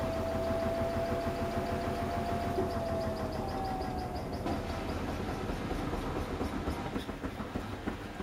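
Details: Washing machine spinning a load of trainers at the lower selected 400 RPM: even drum rumble with a soft regular thump and a faint steady whine, no heavy banging. Quieter than at higher speed, a settled low-speed spin.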